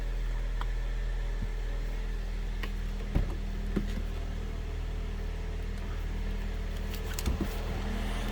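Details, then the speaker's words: 2018 Alfa Romeo Stelvio Ti AWD, 2.0-litre turbo, 8-speed automatic, 51,725 miles, idling: low, smooth, even hum with no knocks or misses, a few handling clicks; healthy idle. "Start it up, let you hear it run too."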